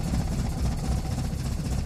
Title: Rough idle